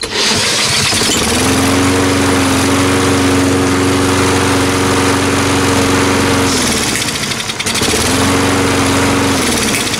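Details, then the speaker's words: Salvaged single-cylinder walk-behind mower after its carburetor was ultrasonically cleaned and reassembled and the shut-off ground contact cleaned: starts, holds a steady even note, cuts out cleanly on shut-off, then restarts and runs smoothly; healthy. "and that is what we call a win alrighty"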